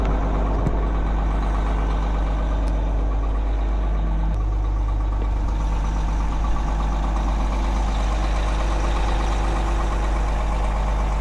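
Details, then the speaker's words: Caterpillar 18M3 motor grader diesel after a real cold start, with transmission and hydraulic temperatures below zero and engine oil low. Deep, steady idle rumble with no knocks or rattles while warming. Normal diesel idle. "And it actually fired up like it had been sitting in a garage."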